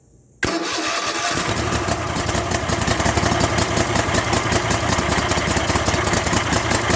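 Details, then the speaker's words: Kohler 7000 series engine on a zero-turn mower after carburetor rebuild kit fix for surging at idle, mid and full speed: starts at once and settles to a steady even idle, surging gone. "well I think I fixed the problem the surging's gone and uh everything seems to be working as it should"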